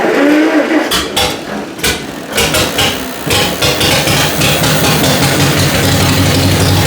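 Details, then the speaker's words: 1949 John Deere Model M tractor after starter button repair; several uneven cranking bursts, then fires and runs on with rough but continuous beat and heavy smoke; plugs were fouled, but starting now works. "She was definitely fouled out on the plugs, but it is working right now."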